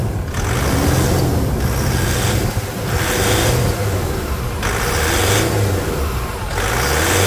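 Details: 2006 Toyota SW4 3.0 diesel, start after removing the engine to replace leaking seals and changing radiator and brake fluid: even, steady idle with smooth rumble, no knocks or misses; healthy.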